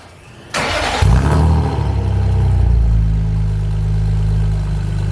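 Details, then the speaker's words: BMW with M52 exhaust manifolds and a spare back box added for silencing, after the repair: catches and settles into a steady, deep, even idle with a muffled note and no rasp or blowing; healthy exhaust. "that's a bit better let's take it up the road see what it sounds like under load shall we"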